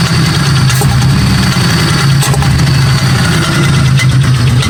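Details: 1995 Buick Century 3.1: loud, uneven, lumpy idle with occasional sharp pops; misfire with pinging/popping, cause unknown.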